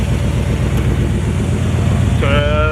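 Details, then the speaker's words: Ford Bronco with AC, roughly 20-year-old abused compressor: engine idling, then a droning whine with a rough edge as the compressor engages, loading the engine slightly; blows cold-ish air, compressor suspected near failure. "Well, Operation Icebox is not what I would call a resounding success. I mean, just listen to that. I think that compressor is on its last 5 little piggies."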